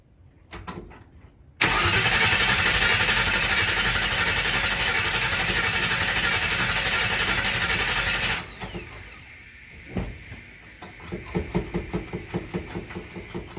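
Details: 1960 Ford F100 shop truck with open header, first start in years, ignition set up and fuel semi-hooked up: steady fast whirring crank about six seconds that never fires; no fuel reaching it, the pump wasn't pumping.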